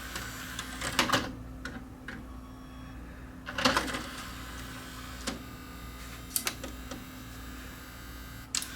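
The drive whirs in short uneven bursts with clicks and brief squeaks, never settling to a steady spin; a worn belt is slipping.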